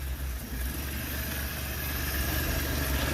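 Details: Engine that had lost fuel prime, now running after priming carburetor and a few gas pumps: continuous buzzy idle holding steady speed without dying or surging: normal idle.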